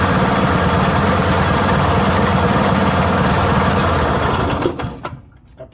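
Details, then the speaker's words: Yamaha G1 golf cart small single engine after repair: chugs along fast and even at a steady beat with no knocks, then shut off; sounds much better than before, running healthy. "you that sounds a lot better than it did and it worked."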